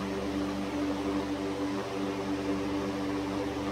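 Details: 100-plus-year-old Century S-3 Model 15 skeletal frame desk fan, restored, running on low speed with oscillator engaged: steady smooth hum, even drone, no ticking, scraping or rattle; normal running.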